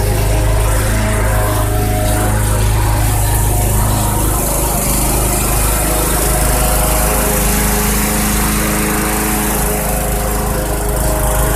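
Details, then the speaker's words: Bolens/MTD 11A-B0BL765 21-inch push mower (2014 or 2013), Briggs & Stratton 500 Series 140cc engine, repaired for a no-start blamed on old fuel. On a cold start after about 1.5 hours it catches and settles into a steady, even buzz without surging; normal running. "all right that runs just great blade seems to be sharp enough to cut"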